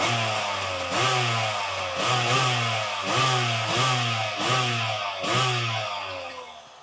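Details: Kawasaki 1100 STX jet ski, first start after ultrasonic carb cleaning, new fuel lines and exhaust manifold gasket, dry-rotted oil injection lines blocked off and running premix: sharp two-stroke blips rev and fall back cleanly without stumbling; normal two-stroke running.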